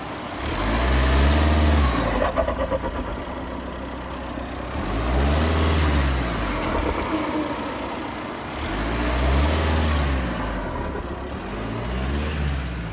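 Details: Audi A6 2.0 TDI 170 hp diesel at idle; engine sound swells and fades in slow waves about every four seconds; unidentified cyclic noise, source unclear.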